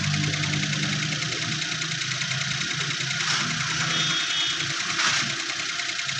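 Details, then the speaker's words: Suzuki Every turbo 660cc idling roughly, uneven stumbling beat; scanner shows cylinder 2 misfire with check light, suspected bad coil, blocked injector, or missing injector pulse/current, which tested absent. "यह देखें cylinder to miss fire या तो इसकी coil खराब है या इसके injector जो है उनमें से कोई ब्लॉक की जाए"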